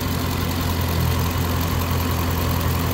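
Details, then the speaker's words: Dodge Hemi V8 (Scat Pack Shaker) at idle: steady deep rumble with light clicking from a noisy fuel injector, often mistaken for lifter tick; normal idle with normal injector ticking. "this is normal this right here you'll hear this clicking that's actually an injector some people confuse that with lifter but that's actually an injector so basically I just have a noisy injector"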